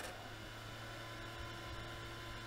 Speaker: on a un petit bruit mais maintenant qu'on a bien tout nettoyé est sûr que voilà jusqu'à ce que le ventilo lâche ce qui est sûr c'est que ça va pas ça va pas être problématique il y a rien qui obstrue